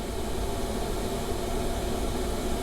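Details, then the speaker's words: Webasto diesel parking heater in camper running on its own after start-up, fuel pump ticking, voltage holding at 12.2 V after battery and supply cable changes: steady even rushing hiss, no surging or dropouts; normal operation. "i co ważne to to że teraz to Webasto już pracuje Może słyszycie Jak szumi jest 12 i2 i pompka pracuje i to mi nie mruga to napięcie ono nie spada"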